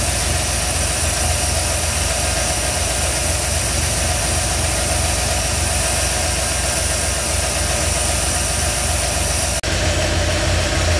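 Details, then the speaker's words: 1987 Ford F-350 on first startup after a FiTech EFI install, warmed up with fans on: even idle around 800 rpm with idle air control in range, a smooth low rumble under the fan roar. Normal warm idle. "okay so it's running running really really well uh it's warmed up my fans have come on"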